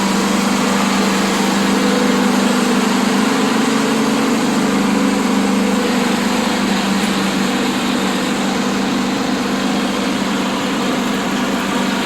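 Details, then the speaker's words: Cheap used riding mower, small single-cylinder engine, started with choke and throttle about 3/4, PTO disconnected, new idlers and fuel filter: steady even drone with spindle noise, no misses or surging; normal running. "I cut the grass with it already. It's running really good."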